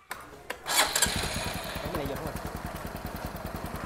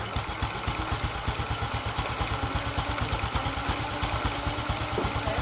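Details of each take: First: Motorbike with a rebuilt engine that kept only the original ignition starts first try and settles into a crisp, even putter of about three beats a second; sounds healthy, normal start. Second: Scooter described as weak when ridden, engine otherwise quiet; at idle a regular dull clunking about four times a second comes from the clutch housing (nồi), so the clutch is to be opened up: clutch housing knock.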